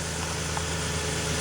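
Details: Toyota T100 V6 with almost 300,000 miles, after alternator replacement (owner now suspects a loose connection was the charging fault): even, steady engine hum with faint belt-area tone, no knocks or stumbles; normal idle.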